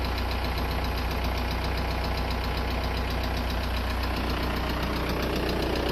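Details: VW Golf 4 1.9 TDI: a steady diesel idle with a hard, even clatter about 2.5 times per second riding on top. An abnormal knock from the engine.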